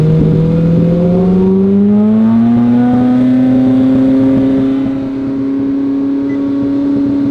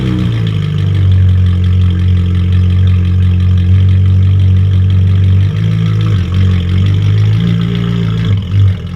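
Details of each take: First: Ferrari 458 surging, then idling very high (up to about 7,000 rpm) and revving by itself, with nobody on the throttle, even after a battery-pull reset. Owner suspected a dirty MAF or sticking throttle bodies; runaway idle. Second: Ferrari 458 after battery pulled to reset computers, following surging and 7,000 rpm high idle: deep steady idle, returns right to idle after quick throttle tap; owner thinks a dirty MAF may have been the cause; sounds fixed.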